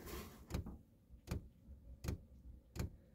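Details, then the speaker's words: Chinese diesel heater installed in a boat: fuel dosing pump ticking evenly at startup, heard right next to the pump while the fan spins up before ignition; normal fuel pump ticking. "if you listen real quickly you can hear the tapping of the fuel the fuel pump start i'll take you back to it"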